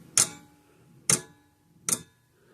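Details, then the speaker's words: 1950s–60s Sears/Parmac 6 V mechanical-points fence charger: dry ticks at uneven gaps about once a second as it cuts in and out; intermittent connection, suspected switch or bad solder joint. "So we've got, there it goes. So we've got a connection problem of some sort."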